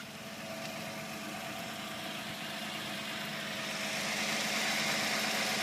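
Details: Nissan G35 engine bay at idle: a fast, even chirp with a gritty grinding and buzzing rattle on top, possibly from a belt pulley, tensioner or idler; not confirmed.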